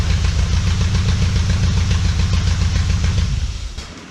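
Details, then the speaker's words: Shell Valley 1967 Shelby Cobra replica V8, after timing corrected from 28° to 10° BTDC and carb mixture adjusted: steady even burble, no lope or popping, then winds down; smooth idle, carb may still need rebuild. "I still think the carburetor could probably stand being rebuilt, but it's not running rich anymore. It's not blowing fire out of the tailpipes anymore. It's not popping and cracking anymore."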